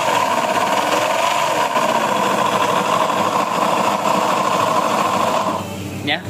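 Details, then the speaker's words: Honda Beat (eSP) scooter, CVT fully removed yet noise remains: loud, rough, uneven clattering rattle from the engine itself; first suspicion is a worn connecting rod or left/right crankcase bearings, not yet confirmed. "untuk CVT sudah dilepas tetapi suaranya masih sangat berisik ya untuk kasus seperti ini ya untuk suara kasar setelah bagian CW dilepas ini sudah dipastikan di bagian mesin ya"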